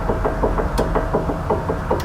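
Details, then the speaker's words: Dull, hollow knock repeating about five times a second with no engine noise, a clunk matching a worn, loose sway bar end link. "do you have a clunk in your vehicle and you don't know what it is if you're unsure if you have a sway bar link bag follow along I'll help you confirm that noise by matching up to the noise that I'm having"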